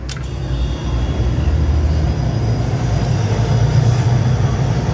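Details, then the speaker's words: Display fridge that would not turn on or cool, fault traced to the manual cold control (thermostat), tested bypassed: a low heavy hum builds within a second and holds steady as the compressor starts and runs evenly. "pero bueno gracias a dios encontramos enseguida el daño no que nos estaba funcionando perfectamente"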